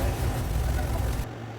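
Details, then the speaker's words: 1979 MGB: deep slow loping idle with heavy rumble dropping off sharply, idling about 500–550 rpm before adjusting idle up; low idle speed. "Okay, that's idling at like, 500, 550. I'm going to see if I can get that adjusted up a little bit."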